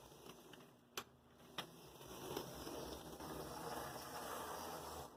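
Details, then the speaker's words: Athearn Blue Box F45 model locomotive after swapping its FF-180 motor for a carbon-brush 280 motor: a couple of sharp clicks, then an even, quiet whirr with no grinding or binding; normal running. "i like it that's the sound i like to hear from an athen blue box"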